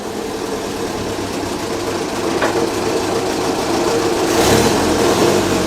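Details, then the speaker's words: 1932 Morris Minor four-cylinder sidevalve engine on 6V battery, idle since about the 1970s, ignition points cleaned, no coolant, little exhaust; ticks over evenly, loud and raspy from short exhaust, no knocks or misses; runs briefly, normal. "it's all right that sounds all right like this that doesn't sound bad at all"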